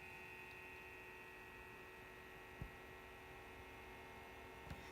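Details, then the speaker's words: Behringer EPQ304 power amplifier switched on, no music playing and no speakers connected: steady whirring hiss and faint high whine without pause; cooling fans too loud for a quiet room such as a church. "this is even not playing music even without even without speakers this thing is loud"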